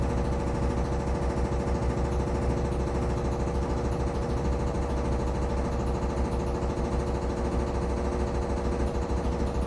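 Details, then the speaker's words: Samsung FlexWash upper washer on the Delicates cycle, spinning near the end with one minute remaining: a steady heavy droning hum with fast uneven thumping of about three beats a second. The cabinet shakes, and an unexplained banging occurs although there is an inch of clearance from the dryer. "You can see the machine is shaking. You can hear it too."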